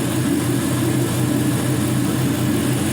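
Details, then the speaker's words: 5.3L LM7 Gen 3 LS V8, 140k miles, new lifters, on test stand warming up at about 700 rpm, 45 psi oil pressure, 30 kPa MAP: steady, even low rumble with no ticking or knocking; normal idle. "so you can hear as it's as it's warming up things are nice and quiet with those new lifters got plenty of oil pressure"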